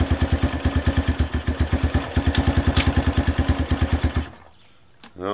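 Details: Honda CRF150F cold start after carburetor cleaning to fix a clogged idle jet, one kick, on half choke, in gear without throttle; even single thump about eight beats a second, smooth steady idle, then cuts out cleanly; normal cold idle.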